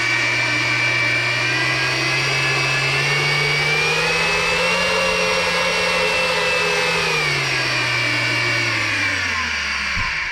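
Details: RC brushless motor and ESC on a servo tester sending a PWM signal, powered by a LiPo: clean high whine climbs as throttle rises, holds steady, then winds down smoothly, running normally.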